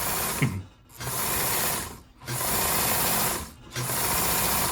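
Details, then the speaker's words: Kenmore 158.523 sewing machine after the main fault was fixed: three bursts of fast, smooth hum with no knocking, sounding healthy. The motor shows many sparks as it slows and may still need work. "Overall sounds good. Um Once the motor slowed down a little bit you got quite a few sparks."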